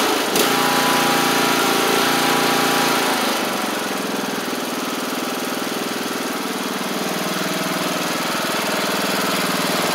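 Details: MTD Craftsman LT1500 riding mower after engine swap, new blades fitted: even, steady single-cylinder beat of about four per second with blades spinning, no knocks or misses; running healthy.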